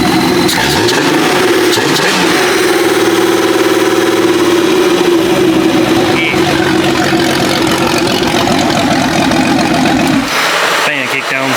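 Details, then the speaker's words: Jeep 5.0 stroker engine, muffler off, after cold start warmed to operating temperature (about 145 rising to 200 degrees) after longer push tubes fitted; steady, even idle, smooth low drone, no knocks or misses. Normal healthy idle. "I'm going let it get up to operate District make sure we're good open next believe we're good lock about 145 upward to 200 sounding healthy pretty"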